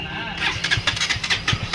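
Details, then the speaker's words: KTM Duke 200 that drained its battery and cut out while running, started after fitting a new magnet coil. It catches after a brief crank and fires evenly with no misses, and the battery now charges properly. "So చూడండి guys, bike అయితే ఫైనల్గా start అయిపోయింది. ఇప్పుడైతే battery కూడా charging అవుతుంది మంచిగానే."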